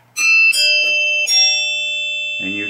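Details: 1972 Williams Super Star pinball chime box after rebuild: three clean, bright chime strikes ring and decay smoothly with no buzz or dull notes; chimes working properly.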